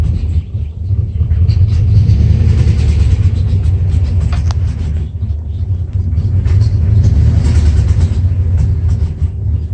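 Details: 1994 Dodge Ram 5.9L V8 with codes 37 and 51, rough idle and backfiring: lumpy, uneven idle that surges and stumbles with no steady beat; failed crankshaft position sensor, and replacing it restored normal running.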